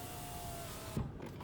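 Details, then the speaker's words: Vauxhall Omega walkround: smooth, even window motor hum for about a second, then a soft thump as the glass seats; electric windows on both sides working normally. "All working. Let's take over this side. There we go. Electric windows working."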